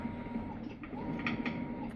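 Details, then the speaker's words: Maytag washer model MVW7230HC0 on test during wash cycle: sharp, irregular clicks over steady motor hum from a worn clutch; may also give F7 E4 error code; fixed by replacing the clutch. "what's happening is that it's making a clicking noise and I'll demonstrate that in the video clip after this and the extent to which your washing machine is making noise really depends on how bad the clutch is worn out"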